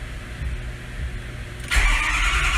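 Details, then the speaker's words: Ford F550 6.0 PowerStroke diesel, no glow plug codes, FICM suspected faulty: starter churns evenly but slowly with no firing, then a louder hissy surge; cranks but won't start, compression sounds good. "it's cranking too even I wonder I let's check this real quick hang on let's I mean even though the compression sounds good it it'll be fine but it'll show us it's cranking pretty freaking good it's slow though"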